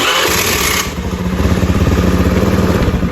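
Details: Honda Beat scooter after CDI workaround rewiring (new battery, normal starter motor; previously starter only clicked tek-tek): starter spins briefly, engine catches at once and settles into an even, steady putter. Clean, healthy electric start.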